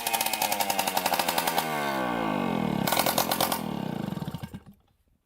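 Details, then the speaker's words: Suzuki JR 50 two-stroke with the exhaust pipe disconnected: it revs sharply to high speed and falls back cleanly without bogging. The bogging was caused by a carbon-clogged exhaust pipe that needs burning out. "as you can hear it really rubs out now so obviously the pipe is clogged and we need to take off the pipe now and clear it out"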